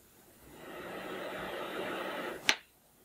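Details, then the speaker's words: Small electric fan after repair with two tiny drops of oil in two places: motor spins up quickly to a smooth, even whir, no noise or squeal, running faster than before; slow-start fixed. "you can tell from when you put your hand in front of it I know you can't tell but the fans were running a lot faster now than they did before as well"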